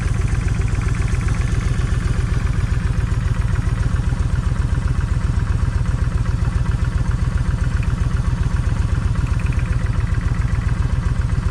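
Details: Kawasaki Vulcan 1600 V-twin, lumpy idle about four thumps a second, skipping beat, one cylinder missing; left cylinder's plug stays wet. Owner tests plug wires to tell bad coil from bad wire; still no difference.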